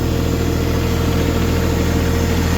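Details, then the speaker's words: Diesel tractor in snow, restarted after bleeding gelled or iced fuel with water in it, warming up: steady, even low rumble with no misses or knocks; normal idle. "Oh. Now, she sounds good."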